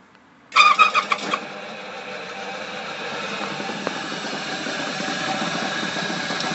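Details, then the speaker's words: Flywheel rig belt-driven by a start-capacitor/run-capacitor motor, at switch-on with a 50 µF run capacitor fitted in place of the correct 25 µF. A few hard surges, then uneven flapping belt slap rides the hum. "when we connected a 50 micro farad capacitor we get some real weird belt vibration belt slapping it's difficult to to describe"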